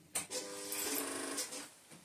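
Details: 2009 Kawasaki Versys with no-start, one-crank problem, later traced to the battery: key-on gives a short even electric buzz of about a second, then stops, the fuel pump priming normally.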